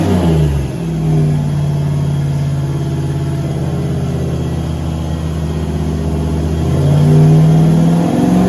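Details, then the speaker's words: Turbo LS V8 Caravan with 4L80E automatic, warm, headers baking off: steady drone near the end climbs in pitch without load rising to match; 24% throttle, 4000 rpm, only 45 kPa (idle ~40); owner suspects transmission slippage, fluid checked. "so here we have to do 24 throttle 45 kpa 4000 rpm that's not good it's not a real good sign"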